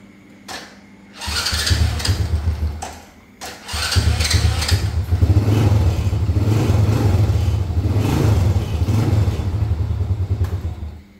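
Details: Honda Dream motorcycle whose electric starter rattled and slipped, after the starter fix and reassembly: starter spins briefly, engine catches cleanly and settles into an even, low idle; normal start.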